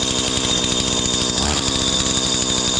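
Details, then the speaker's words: Stihl FS80/FS85 trimmer after top-end rebuild with new 34mm cylinder and piston, cutting while warming; earlier air leak from too-thin kit intake gasket fixed with old gasket: crisp steady high buzz, brief load dip, clean even firing. "I already been tinkering with it a little bit, so I think I got it dialed in just right."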